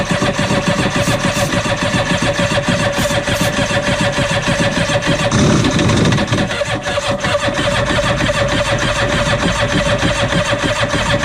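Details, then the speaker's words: Cheap used Yamaha WaveRunner two-stroke on new mixed gas, old fuel previously in tank: catches and runs ragged, revs surging and sagging; starving for fuel because the fuel valve was set to off, then switched on. "oh the gas is on off let's put the gas on on how about how's that sound see right here it was on off we're going to put it on on we're going to see if that helps"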